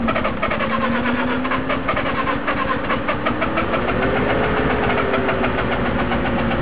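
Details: Mazda RX-7 FC rotary, swapped engine that ran fine before: long steady cranking, pitch slowly climbing and wavering, never catching; hard start, owner says not flooded and thermo sensor is fine.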